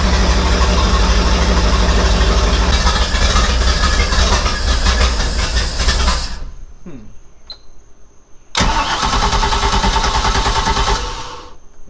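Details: 1996 Baja Outlaw 20 boat, 5.7L MerCruiser, carburetor rebuilt and new fuel filter, started on starting fluid: fires and runs rough, dies, catches again briefly; keeps stalling as if fuel-starved, owner suspects flooding, not confirmed.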